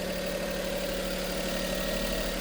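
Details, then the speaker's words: 2000 Daihatsu Hi-Jet 4x4 mini truck, 5-speed with high/low range, AC, 18,241 miles: quiet, smooth idle with steady low hum and even firing, no misses or knocks, no blow-by; engine healthy. "And listen to it, it's just super quiet. Very smooth truck. Does not miss nothing anyway."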